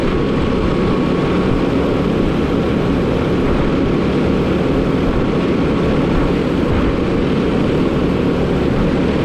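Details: Truck with Eaton UltraShift transmission, diesel idling while building air during clutch reset: steady whirring hum over the rumble from the air compressor, stops when compressor cuts out; compressor bearing checked fine — air compressor noise while building air pressure.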